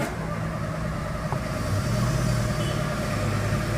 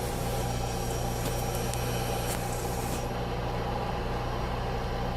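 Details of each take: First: VW Fox 1.0 VHT after fault codes cleared: starter churns steadily about four beats a second but engine never fires; cranks, no start, no check-engine light. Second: VW Fox 1.0 VHT, warm engine after repair: steady, even run with a faint constant electric whir from the fuel pump underneath. The earlier pump noise is gone; normal fuel pump hum.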